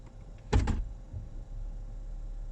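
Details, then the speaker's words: 2011-2017 Jeep Grand Cherokee WK2 restarted after shutoff, shifted from park to reverse: a sharp, loud double clunk over a low idle rumble from the automatic transmission. "I'm just going to shift from park to reverse, and you're probably going to hear a pretty loud clunk."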